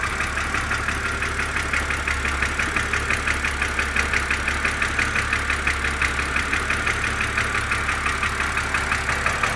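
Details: BMW Z4 2.5si at cold idle: crisp regular top-end ticking about three times a second; source not pinned down.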